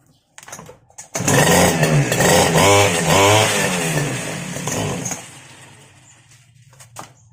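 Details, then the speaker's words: Two-stroke grass cutter that would not start: after gasoline was primed into the cylinder head it catches, buzzes raggedly for a few seconds, then fades out, showing the carburetor is not supplying fuel. "Umandar siya, meaning sa carburetor na yung next natin titingnan. Hindi siya nag-supply ng gasolina."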